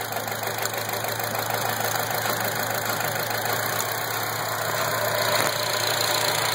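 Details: 2004 Acura TSX petrol four-cylinder idling with an uneven stumble from a continuous single-cylinder misfire (P0302); swapping coils moved the misfire, confirming a faulty ignition coil.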